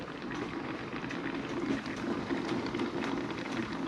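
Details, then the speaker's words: Turbo Subaru Forester after an auto-to-6-speed manual swap, on its first drive, filled with water only and not bled while running: soft, constant bubbling fizz with the engine quiet or off. Coolant boiling; cause suspected, not confirmed. "that's hot maybe it wasn't something buring up maybe it was just that boiling but I did just put water in it no coolant so it's not good"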